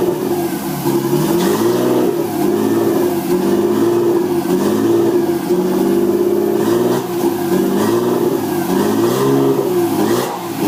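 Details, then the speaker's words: RB20DET (240SX S13 build), second startup, no mass airflow sensor fitted: revs up and drops back cleanly several times, smooth and even with no knocks or ticks; healthy engine despite idle being too high. "it sounds really good like like awesome there's absolutely no noise in the engine whatsoever run smooth and just overall really impressed with the way that it does run"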